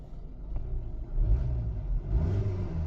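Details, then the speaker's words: Kia Optima at an auction, an insurance car with hail damage, engine running after a forward and reverse check: a low, even rumble with a couple of gentle rises in revs and no knocks or whines; it sounds good and isn't overheating. "I don't know, it sounds good. Sounds good, it's not overheating."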